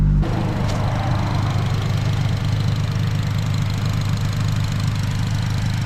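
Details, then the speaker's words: 2008 Honda Civic Si (FG2, K20Z3) after a new starter fixed its no-start breakdown: loud, deep, steady idle rumble with an even beat and no knocks, exhaust open; healthy idle. "It was the starter, bro. Yes, sir. Let's go, bro. I got it, dude. I figured it out, y'all."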